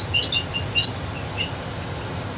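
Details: Trane gas furnace with a no-heat false high-limit error: short, irregular high-pitched squeaks over a faint low furnace rumble as a loose cabinet panel vibrates against sheet metal.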